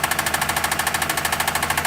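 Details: Engine running with oil far above the dipstick maximum: fast, even rattling knock roughly eight beats a second, clatter from the overfilled crankcase.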